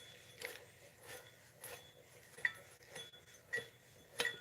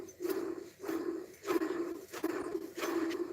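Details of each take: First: New replacement water pump for a 2009 Dodge Ram 1500, spun by hand: only soft, irregular finger taps over near silence, no rumble or grinding; bearing smooth and quiet. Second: Old water pump off a 2009 Dodge Ram 1500 5.7 Hemi, spun by hand: rough, gritty growl in short bursts about every three-quarters of a second; worn water pump bearing.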